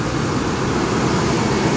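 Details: Abandoned Ford F-150 (V6) cold start; cranking was a little weak, suggesting the battery needs a charge. Steady, even low rumble with no knocks or misses. It starts and idles smoothly.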